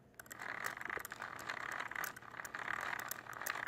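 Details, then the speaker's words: Traxxas Slash 4x4 RC truck, driveshafts and axles disconnected: rough gritty grinding with rattly snags from the spur and clutch-eliminator area; rear diff binding suspected despite shimming, not confirmed. "you could definitely hear that constant grind and binding song and it's coming right from the pain get right there by the spur the clutch eliminator"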